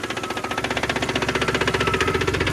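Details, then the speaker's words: 2002 Ford Explorer Sport 4.0L V6, 250,000 miles, after coil pack and plugs: fast even ticking, about fifteen a second, over smooth idle, smoke near one cylinder, no misfire code; owner suspects exhaust leak or stuck valve. "It sounds like a stuck valve to me or it could be an exhaust leak."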